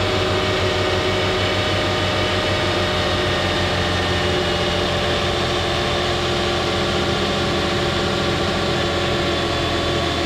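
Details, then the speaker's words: Lexus RX 330 3.3 liter on a very cold morning after power steering hose replacement, pump bled of air: steady even idle with constant hum, no squeal or whine from belt or pump; oil leak source still unknown. "Okay, the pump working good. That's how I have to get the pressure and the air out, and I suck it in. It should be good now. Nice and quiet. All good, no noise on the belt,"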